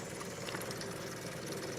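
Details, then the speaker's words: Small electric fuel pump draining old gas from a Ford LTD into a can before a carburetor swap, inlet hose leaking slightly: steady fast buzzing hum with no stutter; pumping normally. "I got it hooked up and going into a can here so let's see if she'll pump sounds like it's pumping"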